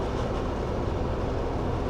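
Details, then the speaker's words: JPSTAR Happy1 Turbo kei camper, household-type air conditioner, lowest temperature setting, fan switched from eco to highest: steady, even rush of air with a low hum, no rattles or pulsing; loud but normal. "Nhân tiện, nếu tôi đặt ở mức cao nhất, nó sẽ phát ra tiếng ồn lớn."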